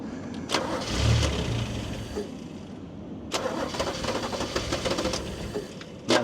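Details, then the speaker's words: Toyota Cressida MX32 that sat for a long time at a wrecker, after the air filter was flipped upside down: starter bursts catch briefly, then the engine stumbles and dies on repeated cranking. The filter was suspected to have been the right way originally. "having trouble now it's having trouble huh now it's having trouble trying to start now"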